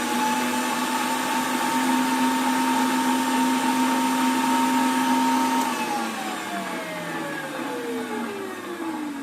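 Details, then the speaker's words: Meat grinder/mincer machine running a test: steady loud gear whine while running, dropping smoothly as it spins down; noise believed to come from the transmission/final reduction gears, considered normal for a production machine. "Nah, suaranya memang agak berisik teman-teman. Ya namanya juga mesin produksi, tentu banyak komponen, atau saya belum pernah buka dalamnya ini bagaimana, motornya seperti apa, saya juga belum pernah teman-teman."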